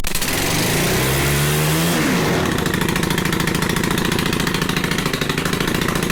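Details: Stihl FC 110 small four-stroke trimmer after a stop-switch replacement, found to have had little to no compression. It revs up, drops back and settles into a steady, even high buzz with no misses; running healthy.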